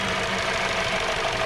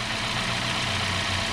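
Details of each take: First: 2017 Hyundai Sonata with P0303 code; coil swap ruled out coils, plug swap moved the misfire, so the cylinder 3 spark plug was bad; uneven shaky idle with loose irregular low thumping. Cylinder 3 misfire. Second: 2017 Hyundai Sonata, normal idle after the P0303 misfire was traced by swapping parts to a bad #3 spark plug: a steady, even hum with a low, smooth pulse, no stumble or skipped beats, and the engine running cleanly.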